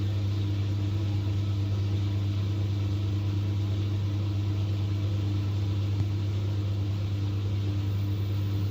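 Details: LG 10 kg direct-drive top-loading washing machine, about 9 years old, which had loud vibration and noise from the motor area during spin: a steady, even low drone holding pitch with no knocking, banging or rattle; normal spin.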